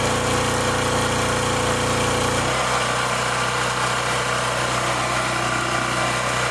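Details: Wen Power Pro 3500 watt generator revived after 15+ years unused, with a replacement carburetor: small single-cylinder engine buzzes steadily, settling to a smoother, even note; runs cleanly and holds speed, though voltage output is too high.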